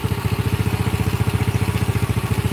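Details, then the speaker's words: Old Honda Grand single-cylinder motorcycle, engine just reassembled, complaint that it would not rev high: an even, smooth putt at about ten beats a second with no knocking and a stable idle; normal idle. "Oke ini mesinnya sudah Kita rakit dan suaranya sudah cukup halus ya teman-teman untuk motor tua atau Grand ini ada sedikit nangis nah ini stabil arbunya"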